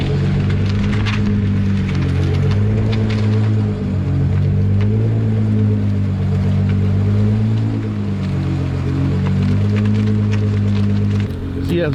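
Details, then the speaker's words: Nissan GTR R35 on road test with factory rear wheels fitted up front to mimic aftermarket Volk wheel setup: steady low road and engine drone through a turn, no clicking from the front wheel; hub sounds normal, no wheel clicking when turning. "as you can tell, there is absolutely no clicking on that wheel right now."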